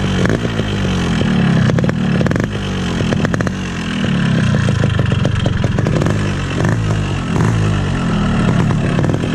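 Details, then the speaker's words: Standard original 2002 RX King two-stroke motorcycle revving up and down: a rattly clatter over the exhaust. Noisy engine; owner suspects a loose piston or connecting rod from hard riding, which would need the engine split. Unconfirmed. "Sebenarnya sekarang motor gua ini lagi kurang sehat karena mesinnya itu berisik banget mesin itu berisik banget di sini nih di dalam di sini nih"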